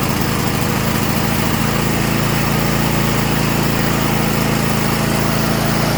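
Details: 2016 Craftsman T8200 Pro riding mower, 24 hp Kohler Elite KT735 engine, 46 hours, after carburetor repair and fuel lines flushed: smooth, even single-cylinder beat at steady governed speed, no surging or misses; normal running.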